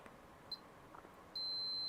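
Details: Continuity test on a vintage motherboard trace: a brief high chirp, then a steady high-pitched tone as the meter reads an unbroken trace.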